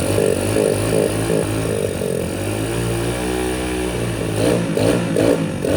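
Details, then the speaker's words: Single-cylinder dirt bike recovered from a lake, after draining water-contaminated oil and fuel and refilling, warming at idle: revs surge and sag unevenly with stuttering blips, won't settle into a clean idle; runs rough, not good enough to ride. "let her idle for a bit get her to warm up right it runs but just not good not good enough to ride"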